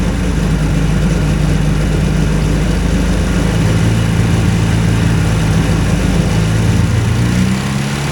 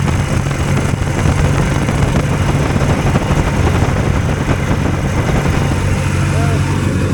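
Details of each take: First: Two-cylinder hovercraft engine, newly settled with revised exhaust and carburetion; steady, even low drone, both cylinders firing, no misses, healthy. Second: Two-cylinder hovercraft engine held at a deliberately high idle because the drive pulls a fan load constantly; loud, steady drone at a fast unchanging speed with no dip toward a proper idle.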